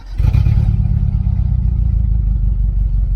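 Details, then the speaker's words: 1990 Mitsubishi Mighty Max pickup, long parked with old fuel, just started: a low, lumpy idle with a stumbling beat, one cylinder dropping out in a steady dead miss; owner suspects a burned valve. "It's got a dead miss in it. I'm starting to think that she burned a valve because it's a Mighty Maxx, and they tend to do that."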